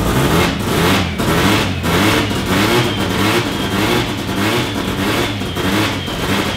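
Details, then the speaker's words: Mazda FD RX-7 13B turbo rotary, freshly built studded semi-peripheral-port (Semi-PP), first start, untuned, no exhaust fitted, coolant around 40 degrees: choppy pulsing brap-brap idle about 1.5 beats per second; normal lumpy ported-rotary idle from port overlap. "I know this isn't tuned up properly but the semi peepees don't sound that much different to a bridgeport no well it's it's a it's just overlap"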